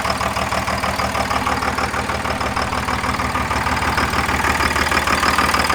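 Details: Second-gen 24-valve Cummins diesel after a brief throttle blip; even, steady clatter about two firing pulses a second, no misses or hunting: normal clean idle.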